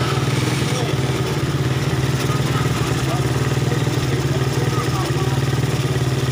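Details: Suzuki Satria FU after repair of torn vacuum (glued) that caused hesitation, backfiring and no power, with spring trimmed and AC holes plugged: steady, even idle with a soft thumping beat and no popping or stumbling; idling normally.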